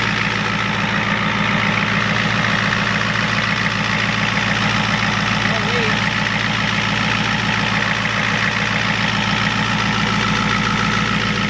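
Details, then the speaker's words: 1993 Ford F-250 7.3 IDI diesel after turning the injection pump up and purging air through the injectors: steady even idle clatter, three to four beats a second, no misses or knocks; sounds much better, normal idle. "but yep there she's coming through injectors probably have to do a little bit more but what's up the starter wrap here sounds a lot better"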